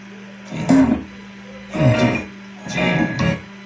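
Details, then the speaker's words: Oneal OCM 550 Bluetooth powered speaker, which had made an ugly noise, after the potentiometer was replaced: guitar music plays cleanly with no crackle or distortion. Working normally. "pessoal tá funcionando 100% Ok é só entregar pro cliente agora"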